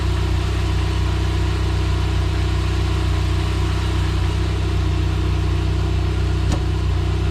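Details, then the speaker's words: NSRT4 after new radiator, AGP front mount intercooler and pipes fitted, engine brought up to 10 on a humid day: steady even idle under loud constant radiator fan rush; engine fine, though temperature gauge reads high. "Alright, hopefully you can hear them fans. They are pretty noisy. We just brought this thing up to 10. It seems like it's doing okay."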